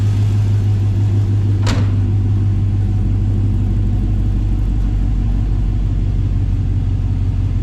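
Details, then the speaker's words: 1954 Chevy Bel Air with LS V8 swap, new wiring harness, tank and radiator, short temporary exhaust, first start: sharp crank catches at once and settles into a deep, steady V8 rumble. Still learning; normal start and idle. "And let's give her a start here. She's still learning. Sounds really good."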